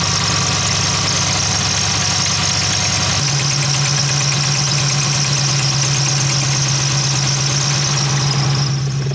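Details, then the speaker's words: 2015–2020 Dodge Charger/Challenger 392 Hemi at idle: a piercing, steady high squeal over the idle, holding its pitch, from a water pump failing at 60k miles. "you can hear that it's not supposed to sound like that"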